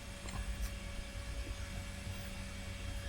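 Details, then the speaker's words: Fujitsu Siemens Pentium 4 PC hard drive that the BIOS cannot read. A faint steady spinning whine with no seek clicks at all. The drive spins but the heads do not seek, so the drive itself is probably faulty; unconfirmed. "I don't hear the head seeking so probably the drive itself is 40."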